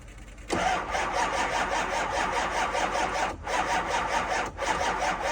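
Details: 2005 6.0 diesel, cold start at 15 degrees in New York, on two batteries and a jump pack: fast, even cranking chatter in bursts with short pauses, never catching; turns over but won't fire.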